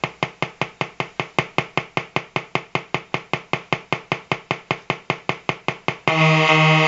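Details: Colour-changing LED bulb on 4.5–6 V DC batteries: sharp, even ticks about 2.5 per second, then a steady buzzy drone; interference noise from the LED driver.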